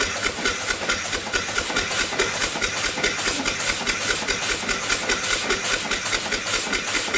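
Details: Upright steam engine after the eccentric timing was corrected, running below 20 psi on a weak fire, with O-rings too narrow to compress. Even exhaust chuffs about two and a half per second over steady hiss: normal running.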